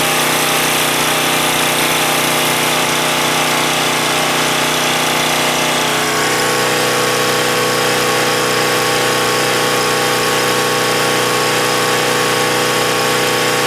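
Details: Husky 1850W generator (about 5 hp) with Mikuni T3044 carburetor converted to natural gas, mixture set about right; steady single-cylinder drone at even speed without surging or stumbling, running better than on gasoline.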